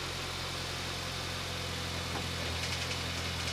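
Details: 2006 Mini One R50, Tritec engine, just after timing chain replacement: steady idle with a faint, irregular light metallic rattle; timing chain rattle seems solved, source of this new rattle unclear, possibly near the clutch.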